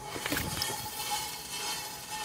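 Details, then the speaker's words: Rear wheel hand-spun after wheel bearing replacement: only soft even hiss of brake pads lightly brushing the disc, normal adjustment, no tired bearing rumble and wheel no longer spins endlessly. "Donc là on a que le bruit des plaquettes de frein, donc c'est normal. Par contre, vous voyez, la roue elle tourne plus pendant 10 ans et j'ai plus le bruit de roulement qui est fatigué, quoi."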